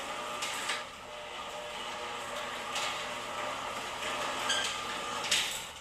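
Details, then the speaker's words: Genie Pro Max garage door opener running; even motor hum, light rolling clatter, soft clicks, no squeal. Normal operation. "Oh yeah, and we even fixed the problem with the squeaking on the right door as well, because it squeaks so loud on the way up."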